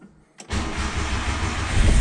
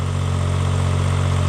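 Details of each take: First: 1995 Subaru Domingo micro camper, off the road a long time: brief crank, engine catches cleanly and settles into a steady, even idle with a low smooth drone; fires straight up and runs fine. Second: 1995 Subaru Domingo micro camper, barn find left 12 years: loud, deep, steady drone at idle with a rough low throb; exhaust worn out and too noisy, needing a new exhaust.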